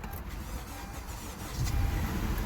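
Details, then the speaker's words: 2013 Honda Accord L4 that started then stalled, code P2101, after freeing a stuck carbon-fouled throttle plate: brief crank, then the engine catches and swells into a steady idle without stumbling; check engine light on. "there we go vehicles now started check engine light is on obviously most like BP 2101 already"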